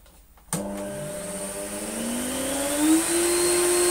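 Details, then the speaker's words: Electrolux Slimline 185 vacuum cleaner, reassembled after repairing broken cables: motor starts abruptly and its whine climbs smoothly to a steady high pitch without stutter or grinding; healthy motor running. "Oh No well it runs all right"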